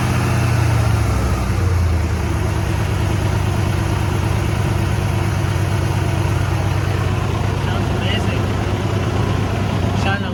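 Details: 1996 Ford E-150 Club Wagon 5.8 after alternator and belt replacement: catches and settles into a steady, even low rumble with no belt squeal or chirp; running healthy.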